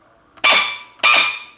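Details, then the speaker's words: M4 airsoft AEG with incorrect motor height: two short trigger pulls, each a harsh high screech with a steady shrill tone, grip vibration and no shooting; the motor pinion is grinding on the gear. "It's got a screeching sound, there's vibration coming from your grip here, and the gun is not shooting."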